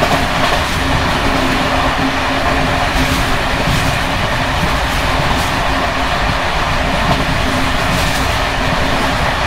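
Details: Bd264 481 coach (built 1979) on Görlitz V bogies many kilometres since last major maintenance, evening express over uneven line 190 near Hluboká nad Vltavou–Číčenice; constant loud rattling over rail joints from bouncing worn brake rigging.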